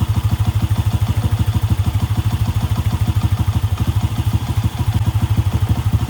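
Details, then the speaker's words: Honda Wave 125 single-cylinder motorcycle idling after general cleaning with air cleaner refitted (carb was noisy without it): smooth, even low putter with no intake hiss or rattle; engine now quiet and healthy. "So, ayan, tahimik na yung makina niya."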